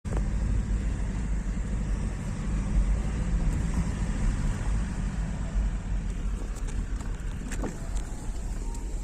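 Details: BMW E90 318d M47TU2 diesel (90 kW) at idle: heavy rumble with dull knock as a bent/probably cracked crankshaft shifts back on the 4th cylinder firing, flywheel striking transmission input shaft; engine swap needed.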